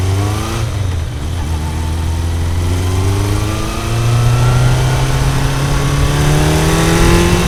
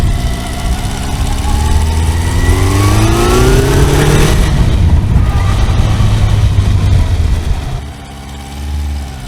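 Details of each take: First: Kawasaki motorcycle after fixing dead No. 1 cylinder: engine pulls cleanly up through the revs with no misfire gaps; normal running, though still needing fine-tuning. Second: Kawasaki four-cylinder motorcycle after reassembly and bolts re-torqued to 24 Nm: revs rise and fall with a lumpy, uneven beat; one cylinder not firing, owner suspects ignition leads disturbed when coils were removed; cylinder one found cold.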